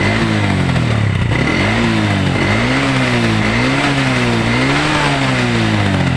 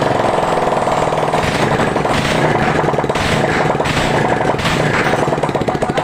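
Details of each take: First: Old Honda Revo single-cylinder motorcycle that smokes and lacks power, revving up and down: uneven, lumpy, coarse beat that never settles smooth; rough running, cause not yet found. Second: Old Honda Revo single-cylinder motorcycle, rough and smoking before repair, warming up after cylinder block work with exhaust reinstalled: fast, even pulsing with no knock or rattle; running normally.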